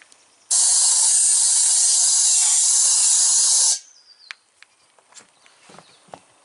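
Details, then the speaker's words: Trailer wheel getting new tire mounted with tire irons, valve core removed, air pushed in while rocking tire: loud steady hiss of air escaping at the rim as the bead has not yet sealed. "Eli nyt se vuotaa jostain reunasta, niin painetaan sinne ilmaa ja koitetaan heilutella tätä kumia niin, että se tukkisi ne kaikki vuotokohdat."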